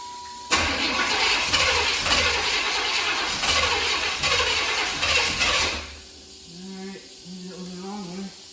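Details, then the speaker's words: 1992 Camaro B4C 1LE ex-police car, idle 10 years, first start attempts: choppy cranking with uneven puffing bursts about five seconds, then dies; odd start, owner suspects possibly a leak, unconfirmed. "huh we got some weirdness there sounds like we might have a donut leaf i think"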